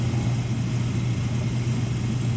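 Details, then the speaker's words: Gas-fired rooftop unit heat section (locking out on gas valve failure; rust suspected of blocking the flame signal), 40°F outside, restart after reset: steady inducer motor hum with faint whine, drawing air through the burner section; normal draft. "this inducer is drawing air through into the burner section so you got air you got a draft going through here"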